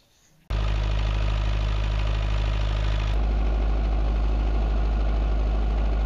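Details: Perkins naturally aspirated diesel 20 kVA bi-fuel (diesel/vegetable oil) generator with Leroy Somer alternator, started while the regulation card is adjusted to raise output from about 230 V to about 239 V per phase. Sharp start, then a smooth, even steady drone with no knocks: normal running.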